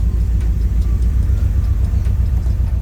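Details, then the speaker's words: Nissan 180SX Type X (S13) with SR20DET, idling into garage: loud lumpy rumble with stumbling pulses, shaking badly like a lawn mower; misfire, plugs, coils and wiring checked, bad fuel suggested, injectors suspected. "i don't know if you can hear it literally sounds like i'm driving a lawn mower like i'm trying to get into the garage listen to this this is shaking so bad"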